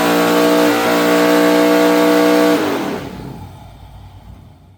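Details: 403 cubic inch 6.0 LS stroker V8 (stroker crank, Scat rods, honed block): strong steady high rev with a clean even note, dropping off smoothly as throttle closes; normal, healthy revving.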